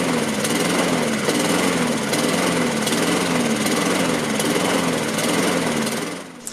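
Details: Laser 46cm lawnmower, Honda GCV135 engine with Keihin BB carburettor, run without air filter: idle rises and falls about every second, hunting on the governor; lean air leak at the carburettor, heat shield fitted wrong way round.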